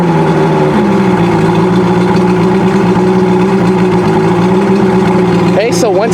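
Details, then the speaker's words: Outboard motor started from cold using fast idle and push-in choke held about four seconds, now warming up; steady, even idle drone with a smooth low note, no misses or knocks, starting with no problem. "it's still warming up a little bit but as you can see it's now starting with no problem"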